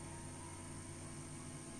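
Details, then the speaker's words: Philips/Sharp radio cassette recorder, single deck playback silent: only a steady low hum and faint hiss, same with or without tape; caused by broken wires to the playback head. "Now its fault is that there is no sound in this chamber. We can play it and we can only hear a buzzing sound."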